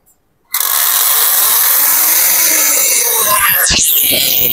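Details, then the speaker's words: Air conditioner indoor unit starting: loud, harsh rattling and clicking from the blower fan; something caught in the blower. "Wah sangat bising. Tak tahu sangkut apa."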